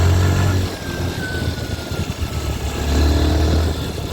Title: mottu tvs sport 110 com barulho estranho no motor!